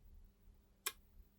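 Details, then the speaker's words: Sonnen Macht SMMCSL TL36K grid-tied inverter on the bench, fed from a rectified bench DC supply, grid at 239–240 V, under diagnosis for error 17 relay and error 10 earth leakage: one sharp relay click in a quiet room as it initializes. "so here are these relays here I wonder if I can feel them clicking under my finger"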